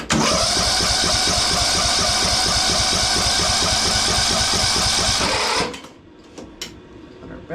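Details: Craftsman DLT3000 lawn tractor engine after new carburetor, head gasket, spark plug, valve recheck; starter cranks evenly at three-plus turns a second for over five seconds but never catches; later compression about 60–65. Cranks but won't start.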